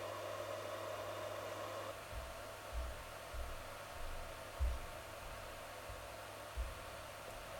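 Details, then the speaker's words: Voxelab Aquila 3D printer's stock 60x10mm power supply cooling fan, before swapping to a Winsinn silent fan, kicks in with a loud steady airy whoosh, faint hum and thin tone, now more noticeable since the hotend and motherboard fans were replaced with quieter ones. "once the psu fan needs to turn on to cool down the psu it is extremely loud or i guess more noticeable because the other two fans were already so loud together"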